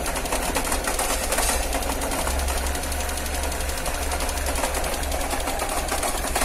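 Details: Car engine cold in the morning: fast, even ticking and light clatter over an uneven, shaking idle; cause not clear.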